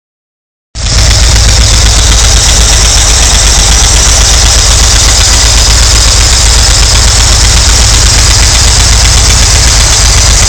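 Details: VW T3 with MV flat-four petrol engine idling: a quick, steady tick over the rumble, about four per second.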